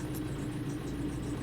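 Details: 2009 Opel Corsa 1.3 diesel at idle, then slightly raised revs; dull steady knock deep in the block under the diesel clatter; crankshaft bearing suspected, though valve-gear or a broken hydraulic lifter were also considered.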